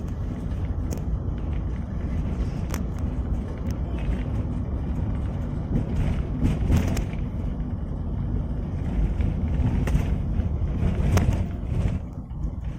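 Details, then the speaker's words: Toyota Avanza rear underbody on rough, wavy road after replacing the exhaust hanger rubber that caused rear knocking: steady road rumble with only light scattered ticks, no repeated knocking; normal. "Jadi kita coba suara di bagian belakang setelah kita ganti karet tempat knalpot ya ini"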